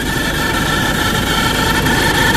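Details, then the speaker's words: Isuzu D-Max 1.9 diesel with white smoke and knocking, leaking injectors found, at cold idle just after starting: steady idle with a thin high whine over rough clatter; odd noise present, belt suspected but source not yet pinned down. "เครื่องยนต์เดินนิ่งเอนะแต่มีเสียงแปลกปลอมขึ้นมานะครับ"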